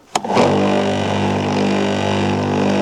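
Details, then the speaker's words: Kolner KHPW 2700IFR electric pressure washer at first start, water connected: motor spins up fast then holds a smooth steady hum while priming the hose, no rattle or grinding; it then stops, holds pressure, no leaks. Normal priming. "сейчас он качает шланг. Дальше она должна остановиться. Если долго не останавливается, то пробуем, нажимаем."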